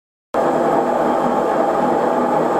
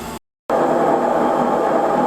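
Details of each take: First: Kenmore front-loading washer model 417.44102301 in spin cycle, before drum bearing replacement (kit 131525500): loud, steady roar with rough, gritty edge. Worn drum bearings. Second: Kenmore front-loading washer model 417.44102301 after replacing the drum bearings with a bearing and seal kit: a smooth, even whirring spin with no rumble or grinding. Much quieter than before.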